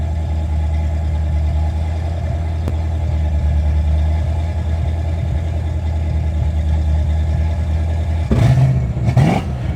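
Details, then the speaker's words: Fox body Ford Mustang after refitting the old ECU, idling higher, running rich with check engine light: uneven, lumpy fast idle with random pops in the exhaust and intake. Misfire with exhaust popping. "Definitely getting a misfire. You can just tell. It'll randomly pop. Yeah, you can hear that."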